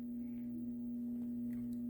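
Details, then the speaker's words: AC/DC Pro pinball cannon motor hums steadily at one pitch as soon as the machine is turned on: the motor is trying to turn but the cannon does not move, stalled; owner worries about burning out the motor. "i hear the cannon motor just kind of making some noise interesting why is that happening i don't want to burn out the motor oh as soon as i turn on the machine it's making some noise"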